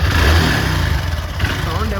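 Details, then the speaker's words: Honda Dream Yuga 110 at about 40,000 km (possibly more, meter cable faulty), with white smoke, fast oil use and low pickup: steady single-cylinder beat with a throttle blip, no knocking or rattling. Worn engine but mechanically quiet; engine work planned. "तो कुछ खास खराब आवाज़ नहीं ए रहा तो मतलब सही है ठीक-ठाक है थोड़ा सा खराब है"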